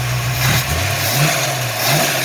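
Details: 1983 Ford Mustang Fox body carbureted V8 after carburetor swap and throttle stop adjustment; couple of quick blips that rise and settle promptly back to steady idle: normal free revving.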